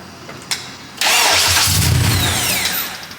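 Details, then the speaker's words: Freshly built K24A-swapped JDM Integra Type-R, first start on a jump pack, TPS not yet calibrated, coolant not yet bled: brief crank, catches cleanly and settles into even smooth run, no misfire or knock; healthy start. "all right we got a running case swap you guys you guys hear it first start"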